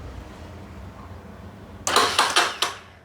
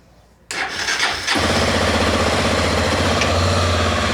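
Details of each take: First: Honda XRE 300 electric start: quiet, then a short burst of four harsh metallic grinds as the starter is pressed, and the engine never catches. The starter one-way clutch is suspected and is to be disassembled. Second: Honda XRE 300 after starter clutch plate (placa de partida) replacement and fresh oil: brief starter crank catches within a second, then settles into an even, steady idle with no grinding; the earlier starting noise is gone, starts and idles normally.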